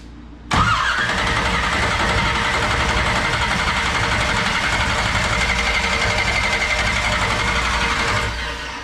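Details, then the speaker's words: 1969 Camaro with 496 big block, first start, carburetor dry and fuel system priming: steady starter whirring about eight seconds without catching; crank no start, no fuel yet. "see if we got any fuel yet yeah i don't know let's start it rest a bit yeah no fuel yet"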